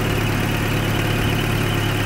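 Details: 1994 Toyota 22RE four-cylinder parts truck, slightly hard to start, possibly water in rotor cap: steady, even idle with smooth low rumble and no knocks or misses; normal idle.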